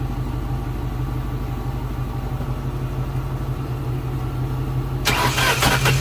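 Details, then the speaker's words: 2004 Mustang GT, sat about six weeks; fuel pump, coil packs and plugs already replaced, spark verified; cranks steadily about four beats a second without catching, then sharp pops; strong fuel smell, weak battery suspected; crank, no start with popping. "did you guys hear that there was some popping when I tried to start it"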